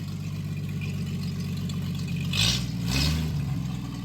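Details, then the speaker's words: 1937 Chevy Coupe original Stovebolt 216 inline-six, first start after decades, choke adjusted, no coolant yet, good oil pressure; low steady putter at idle with a brief throttle blip, no knocks or misses. Normal idle. "Just had to mess with the choke a little bit and once it warmed up it pretty happy."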